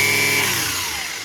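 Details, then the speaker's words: Milwaukee Fuel 18V cordless string trimmer on a 6 Ah battery, switched between fast and slow speed: high, even whine of motor and gears, falling smoothly as the braked head stops quickly, no grinding or rattle. "it's kind of neat because you can hear all the gears and everything else running in there you hear that humming"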